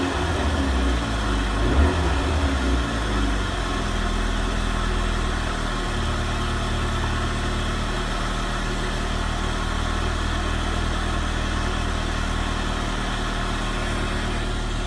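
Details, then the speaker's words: Renault Megane RS Cup 225 with a newly fitted fuel pump assembly: smooth, even petrol idle with a faint constant fuel pump hum that the old pump never made; no leaks, fuel level low; normal. "What's interesting is I can actually hear this fuel pump. I couldn't hear the previous one whatsoever."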